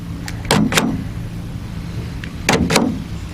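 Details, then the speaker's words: 2016 GMC Sierra, after replacing the tailgate power lock actuator with an OEM ACDelco unit. Two crisp paired clicks for unlock and lock, nothing dragging or buzzing; normal lock actuator operation. "unlock their lock unlock does appear to be working"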